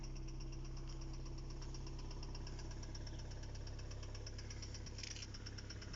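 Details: Engine at steady idle with a regular sharp ticking knock about three per second, constant throughout; engine knock, cause unclear.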